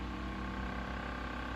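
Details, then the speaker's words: 1950s Electrohome 8-inch desk fan, model 608S, single-speed shaded-pole motor, sitting on a sewing-machine table: steady hum with a fast buzzing rattle. The loose foldable table section is rattling from the fan's vibration, not a fan fault. "oh yeah that's the table because this is a sewing machine table so it's got a little bit of a foldable area there and when the fan's sitting on the wrong spot it likes to rattle"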